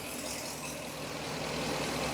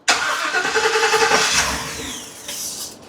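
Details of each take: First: 2017 Ford E450 with 6.2 petrol V8, diagnosed for a cylinder 3 misfire, idles after a hose was tightened with an even low rumble and no audible stumble or knock, though it seems slightly strained. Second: 2017 Ford E450 6.2 gasoline V8, new coils, plugs and wires, two plugs per cylinder, just started; idle stumbles with uneven puffs about three a second, misfire detected on cylinder 3.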